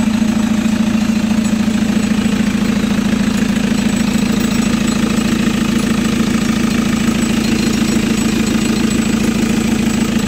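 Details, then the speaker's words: Chevrolet Captiva NFL AWD diesel (latest generation), after repair for a dash warning light and loss of power with turbo, CMP, MAP and P089 fuel-pressure codes, blamed on dirty turbo and fuel paths and a badly fitted turbo hose; turbo parts and injectors cleaned: steady even idle, soft clatter, no misses or knocks; healthy. "Nah kita biarkan dulu mesinnya nyala."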